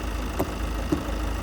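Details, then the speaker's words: Ford Focus diesel bought at auction listed with an engine tapping noise: steady idle with light tick and faint taps identified as normal direct injection pump noise, no knock or rattle; normal healthy diesel idle. "No, that's direct injection noise. Absolutely perfect. You'll hear the direct injection pump there. Sound as a nut. Sounds like how it should do the diesel."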